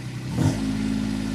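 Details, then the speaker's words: Micro digger (mini excavator) just started, accelerator lever pushed fully forward: the diesel note swells quickly, then settles into a steady, even drone at full RPM; healthy engine. "We're going to push that all the way forward and we'll hear the engine come up to RPM."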